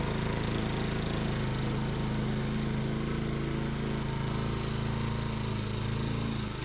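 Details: Tecumseh single-cylinder engine on a Sears Eager One lawnmower, restarted after a makeshift fix shimming the knocking connecting rod with beer-can metal; throttle halfway, may smoke from oil added to rings; steady even drone, knock gone: normal running.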